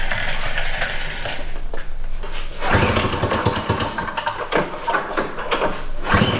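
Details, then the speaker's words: Citation two-stroke snowmobile, primed twice: cranks, catches and keeps running with a choppy, revving crackle; starts and holds running. "give it like two primes this time instead of a billion and see if it'll just start off"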